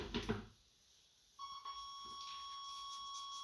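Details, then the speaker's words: 1989 Chevrolet Suburban sat 15 years, first start attempt with makeshift fuel pump; steady high dash warning buzzer holds in quiet cab, goes away once coil wire is hooked up. "And there's that annoying buzzer that my son just loves to hear."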